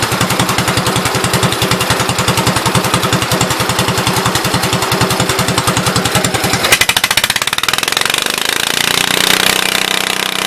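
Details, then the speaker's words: 1974 Case 220 garden tractor, formerly a mud tractor, running after fuel pump and fuel tank work (owner plans a better fuel pump): even single-cylinder chugging at steady idle, then revs picking up cleanly without misses, normal running. "I'll put a better fuel pump on the old girl if you can hear me. Now she's singing."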